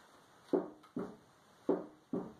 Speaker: That's that panel popping in and out.